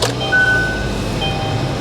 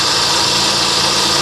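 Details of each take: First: Kia Optima with about 23,600 miles, started on battery at salvage auction; low even idle with steady rumble, no knocks or misses, sounds healthy. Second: Salvage auction vehicle, engine bay very wet at rear, alternator charging: engine idling under a loud, steady hissing whir from the accessory drive drowning out the motor; loud accessory noise, cause unknown.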